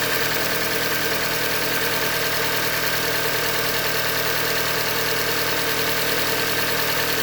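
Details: 2015 Hyundai Elantra Limited, 91,000 km, idling: fast, rough metallic knock about three per second through the engine note, bottom-end knock from short block failure, a Hyundai manufacturing defect.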